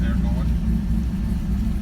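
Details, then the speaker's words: 1965 car, Ford 200 six converted from carburetor to FiTech fuel injection, just started and warming up: steady even low rumble with no misses, knocks or hunting; the idle is better and smoother than with the carburetor. "idles it idles a lot a lot better than it did with the carburetor before think like it's a little bit smoother"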